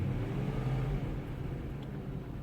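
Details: BMW X5 M62TUB44 V8 after timing chain and guide replacement: smooth rev rising and settling with a low even note, no rattle or chain slap; owner notes slight belt slipping sound and may retighten tensioning.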